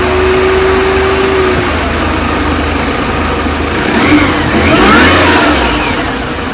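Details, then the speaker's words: 2005 R53 Mini Cooper S supercharged petrol engine after timing chain kit and supercharger service with new gaskets: revs up and falls back with a thin whine; strange lift-off noise persists, lack of power noted before, cause unknown. "quite clearly here it's still making that uh making that noise so uh I'm not quite sure what that is anyone had to this issue with a mini before"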